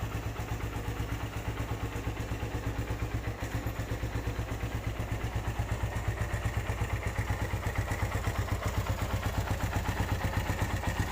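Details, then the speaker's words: 2013 Suzuki Satria FU 150, used motorbike with seven years of use, at idle: even idle with light regular tek-tek valve tick about three per second, said to be typical for Satria FU; normal idle. "suaranya nggak berisik kalau Satria sih wajar aja jika ada suara-suara tek tek tek tek seperti itu itu emang penyakitnya Satria FU rata-rata seperti begitu"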